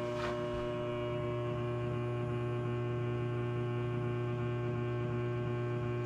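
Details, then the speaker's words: First alpha MidNite Solar Rosie inverter running off-grid at 240 V with its charger on low at 21 A: a low, steady mains-type hum with faint overtones, even and unchanging. This is normal charging noise. "so i'm gonna turn the charger on okay so you heard that little hum we're running the charger pretty low"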